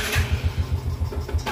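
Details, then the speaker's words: Yamaha Jupiter Z: after a sharp throttle blip and release, a few heavy slowing thumps, then it stalls. It is weak on climbs; the cause is severely weakened compression, suspected leaking exhaust valves. "nah ini saya gas ya kayak sentak ya Nah dia langsung mati Oke saya gas ya Nah dia langsung mati seperti"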